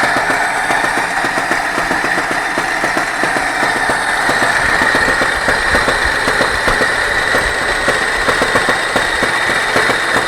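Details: Engine knock at idle: loose, uneven tapping through a steady idle, source not pinned down by ear; cause suspected, not confirmed.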